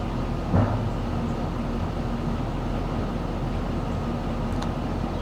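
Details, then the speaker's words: 2004 GMC Savana 3500 6.0-litre with 237,000 miles, a former no-crank now running after repair: a steady, even low rumble with no knocks, misses or hunting. It idles fairly well, with code P0449 vent solenoid circuit showing. "actually doesn't run too bad for a 6-litre with two hundred and thirty seven thousand miles on it as far as it runs at all actually"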